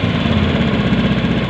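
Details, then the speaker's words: Honda Beat FI ESP scooter after history reset and TP setting, idle screw being adjusted: starts high, then drops to a steady, even low putter with no misses or knocks; normal idle. "Memang kalau injeksi awal hidup mesin tinggi dulu ya, kemudian berapa detik dia akan ambles lagi."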